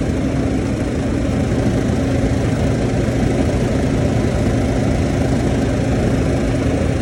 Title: KAIRAK TABLE TOP MAKING NOISE.